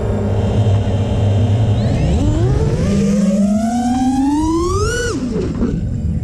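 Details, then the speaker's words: FPV quad after adding a static notch filter (centre 465 Hz, 445 Hz cutoff) in Betaflight: motor whine climbs and drops cleanly with throttle, no howl or ringing above mid throttle; resonance fixed. "much cleaner [Applause] no howling no freaking out"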